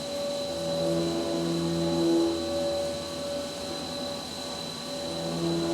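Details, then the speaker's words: Flex CNC machining a cart top fixture plate: high spindle whine with ringing tones that come and go, chatter on the back side where three fixture bars hang over. "again you can kind of hear that chatter on that back side uh because of the two fixture bars just or the three I'm sorry hanging over"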